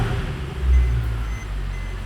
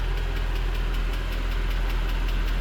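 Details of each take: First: Mercedes C63 AMG Edition 507 coupe V8, cold start after a couple of hours' cool-down, following a PCV system fix. Deep, steady rumble with an even beat; the earlier ticking is gone, with no smoke and no check engine light; normal. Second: Mercedes C63 AMG Edition 507 V8 (MCT transmission) idling with deep rumble and light sharp tick about five per second, smokes badly at startup, possible misfire; valvetrain tick, cause unconfirmed.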